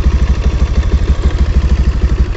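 Steady low putter of a small single idling, with no chain slap or clicking riding over it; the drive chain runs quiet and healthy.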